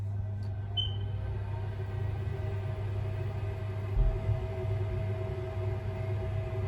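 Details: Boiler run after clearing a blockage in the trap/condensate line: quiet, steady low hum with faint even fan tone, no gurgling or surging; boiler running smoothly after fix, system pressure noted too high.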